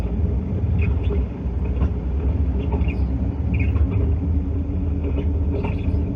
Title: How Wheel Bearing Sounds When It Goes Bad and How to Check